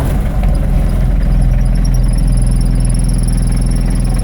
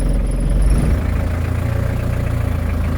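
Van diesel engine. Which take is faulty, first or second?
second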